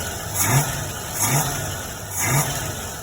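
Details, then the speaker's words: Old hot rod, freshly installed Holley carburetor not yet adjusted, running roughly 8-month-old gas: three even throttle blips settling cleanly, no stumble. A little smoke, possibly slightly rich, but normal idle and revving. "I don't know, man. That sounds pretty good. But we'll see if we can get just a little bit more."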